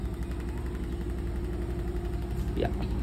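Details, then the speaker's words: Newly installed Samsung fully automatic top-load washing machine on its high-speed spin: a low, steady drum rumble with a brief chirp and no knocking or scraping, and slight vibration only at a contact point. Normal spin cycle. "ఇక్కడ లైట్గా మనకైతే vibrate అయితే అవుతుంది అనమాట. ఇక్కడ మనం పట్టుకుంటే ఏమవుతలేదు."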